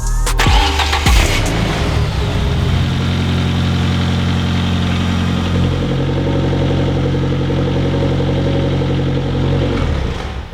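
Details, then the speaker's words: Mitsubishi 4G63 in a mid-engine Eclipse, idling with the timing components removed, heard through the wheel well. Faint irregular tapping over the idle that seems to come from the top end, not the front or bottom end; source unconfirmed (rod knock, lifter, timing considered): engine knock at idle. "definitely not coming from the front but listening through the wheel well it almost sounds like it's coming from the top end not the bottom"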